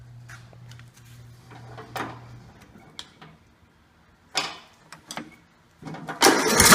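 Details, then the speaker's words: John Deere Sabre mower with Walbro carburetor, cranked after thoroughly cleaning a plugged fuel passage: starter cranks in uneven bursts, engine catches only roughly near the end; still runs poorly, not fixed. Governor checked fine. "well that doesn't seem to fix it and I cleaned up pretty thoroughly"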